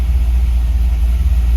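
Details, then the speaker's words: C5 Corvette Z06 LS6 V8 idling in neutral just after a Racetronix fuel-pump hotwire kit install, fuel pressure holding 68 psi: a deep, steady, even low burble with no rattles or ticking, running well. "So anyway, this is good. It's running. It's awesome."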